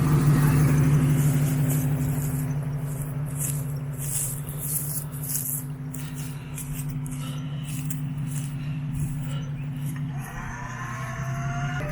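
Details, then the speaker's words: Winch on a 1991 Jeep Wrangler YJ reeling in cable while pulling the Jeep's weight: a steady low motor hum with a constant gear whine on top. The owner suspects it needs taking apart and greasing. "as a noisy winch, sounds like it might all be taken apart and greased."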